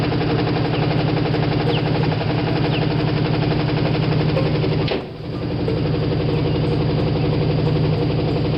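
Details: Carbureted Ford V8 started after sitting all winter, gas dripped in carburetor: lumpy idle with heavy, regular rod knock about four per second and an uneven miss from running on seven cylinders.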